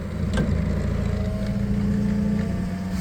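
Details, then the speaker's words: 2018 Toyota 02-8FGF25 LPG forklift after mast servicing and hydraulic hose replacement; engine at idle while lifting, second and third sections extend smoothly, steady hydraulic hum with no knocks or squeals; normal mast lift. "Я піднімаю на холостих обертах і ось пішла друга секція і одразу третя те ж саме як заходить"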